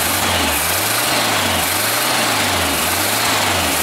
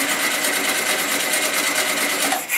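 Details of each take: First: 1974 Super Beetle rebuilt air-cooled flat-four after reinstall, with a larger drilled carb jet and bad gas: gentle revs rising and falling, firing smooth and even; runs well. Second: 1974 VW Super Beetle, first start after engine rebuild and swap, fuel line reconnected and primed: fast, even starter whirring for nearly three seconds without firing; cranks but won't start, fuel likely not yet through the system.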